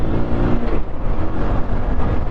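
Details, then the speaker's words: Bajaj Pulsar 150 BS6 after replacing the worn clutch plates with cheaper duplicate plates from another bike: dense, even single-cylinder drone pulling steadily under load with no slipping surge, rattle or knock; normal acceleration. "Show मोर है तो आप इसकी power को feel कर रहे होंगे कि इसमें कितनी पावर आ चुकी है"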